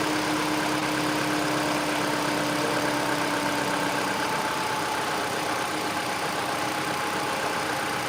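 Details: Mini Cooper R56: even, steady idle with a faint whine that fades partway through, no knocks or misses; owner notes an undiagnosed loud noise at startup that goes away, otherwise engine smooth.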